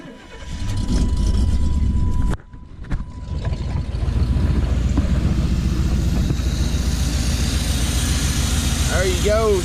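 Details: 1991 Chevy crew cab dually with freshly installed 454 big block V8 and 4L80E transmission, first start after wiring: cranks, catches after a brief stumble, settles into a deep, even idle with steady rumble; engine sounds healthy, though reverse isn't engaging.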